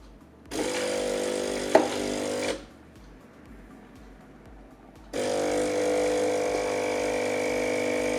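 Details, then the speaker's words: Saeco PicoBaristo SM5478 espresso machine after repairing alternating E03/E04 errors: brew unit closes with a short motor whir, a quiet pause, then a steady even pump hum; brew cycle runs normally, repair successful. "Odpalamy kawę od razu, na żywioł, słuchajcie. Nie ma się co. Zaparzacz się zamknął."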